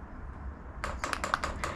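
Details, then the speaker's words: Newer-style diesel air heater, priming by holding the up and down arrows together: light, quick ticking, several clicks a second over a quiet background, as fuel is fed toward the heater; normal fuel pump priming. "you can hear the heater is now pumping, well, the fuel pump. So we have to keep that held down until we see the fuel come all the way through and reach the actual heater."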